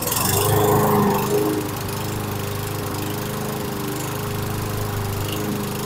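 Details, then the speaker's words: 2011 Toro Recycler mower, model 20376, on minimal fuel, speed rising and sagging in slow waves at idle; hunting idle before two adjustments that raised rpm, owner planning Seafoam treatment. "You could hear the fluctuation in the idle."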